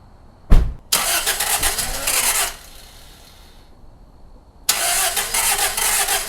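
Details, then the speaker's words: Oil-burning engine after a second Berryman's B12 treatment and Break Free CLP in cylinders, thin oil, cold: sharp starter bursts, long crank, pause, then catches into steady idle; extended cranking, started a little easier than before. "I'm going to go ahead and just crank it right now just to make sure we can start it, and we'll see how hard it is and if it blows a lot of smoke."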